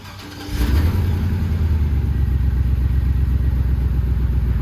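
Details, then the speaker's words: 2500HD 4x4 truck with 6.0 engine and 4L80 transmission: catches quickly and settles into a deep, even V8 rumble with no misfire or knock, normal start and idle. "so after watching back that video this thing actually sounds way better than it should for what it is"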